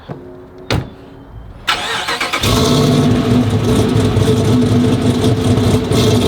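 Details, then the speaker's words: Dodge Charger Pursuit V8 after bad-lifter repair, valvetrain reassembly and new cam install, idle tuning in progress: short crank, catches, loud lumpy but steady idle with deep exhaust, no ticking or knocking; running normally. "So I'm gonna get you guys a good little startup sound of it so you can hear the idle"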